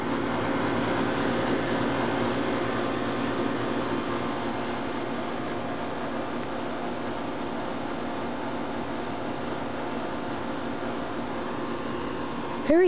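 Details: 1997 Carrier 3-ton R22 condenser, Copeland reciprocating compressor (model 38CKC036), first start of season at 77°F; even steady fan rush with low compressor hum, no rattles or squeals; running quietly and healthy.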